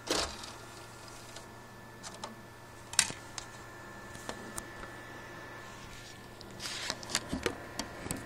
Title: Xbox 360 makes weird noise and wont read discs